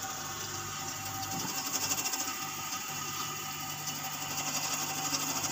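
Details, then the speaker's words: Refrigerator with a capillary tube near-blockage: a harsh, uneven hiss with irregular sputtering pulses instead of a smooth flow. Thick icy deposit at the capillary end, no methyl used. Partial capillary blockage. "dia tuh kental batu esnya itu kental di kapiler di ujung kapilernya itu ada yang kental gitu"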